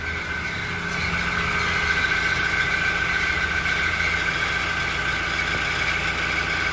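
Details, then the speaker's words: Toyota Innova Reborn diesel at warm idle: steady high cricket-like chirping (klotok-klotok) from the exhaust, appearing once the temperature rises and idle rpm drops below 900. "Jadi munculnya ketika temperatur sudah mulai naik dan RPM sudah mulai turun."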